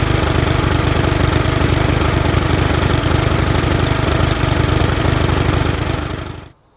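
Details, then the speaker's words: Used Briggs & Stratton lawn mower engine, first start after the head was removed, the carburetor and piston cleaned and the head gasket refitted: steady, even single-cylinder chatter at constant speed, then a clean shutoff, running healthy. "Alright, so it's going to be the first time starting her up again. Just cleaned her. You see that's fucking brand new."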